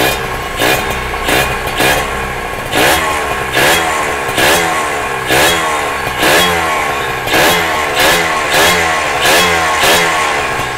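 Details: Kawasaki ZX150 two-stroke first start after rebuild, power valve fitted, no exhaust and no coolant yet: crisp, light throttle blips about every two seconds, each revving up and falling back cleanly with no knocking; normal healthy running.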